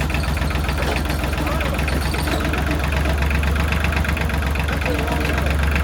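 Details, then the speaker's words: Kubota L3000DT tractor with a replacement good used diesel engine, fuel line fed straight from the pump: even, steady diesel clatter at idle with a solid low thrum, no misses or extra knocks; normal healthy diesel idle. "Sounds healthy."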